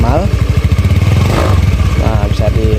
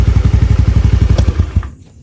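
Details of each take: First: Honda Beat FI scooter after spark plug change and used replacement TPS (idle had been unstable, rising and falling): steady even single-cylinder thump for about nine seconds, then off; normal idle. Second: Honda Beat FI scooter after spark plug replacement and manual reset: idle now stable but engine stumbles and hesitates under throttle, beat faltering; throttle body/IACV reset planned next.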